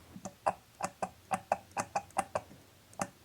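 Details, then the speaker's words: BMW E34 heater valve solenoids, bench-tested with a 9 V battery instead of 12 V: quick run of crisp, croaky frog-like clicks. The solenoids are working normally. "now let's listen for a clicking sound okay well the frog sound tells us it's working"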